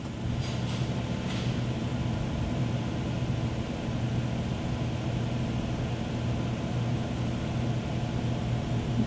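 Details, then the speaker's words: 2011 Chrysler Town & Country/Grand Caravan 3.6L, 115,000 miles, intermittent crank-no-start and stalling under diagnosis: starts cleanly into an even, steady low idle with no misses or knocks, fuel pump current present. "right so we're started we got currents"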